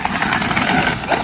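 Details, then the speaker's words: XMaxx RC truck after an 80kg PowerHD servo upgrade: harsh uneven grinding rattle with motor whine under drive, front wheels not driving; front differential failed, small crack in front bulkhead, not caused by servo mods. "you know what I'm kind of sick of hearing that noise I think we're gonna end the video there even on the front diff definitely didn't survive"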